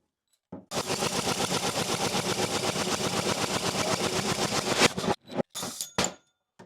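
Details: Honda GX160 single-cylinder engine that had been sitting, fresh spark plug, spark confirmed, starting fluid used: fast even chuffing while cranked, about four beats a second, never fires; won't start, low compression suggests valves out of adjustment, burnt or bent.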